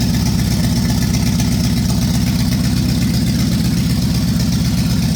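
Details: 1965 Ford Galaxie 500 LTD 352 big-block V8 with a cracked block, last run before pulling the engine: steady low thump about four per second under the idle rumble, rod knock from a bad rod bearing.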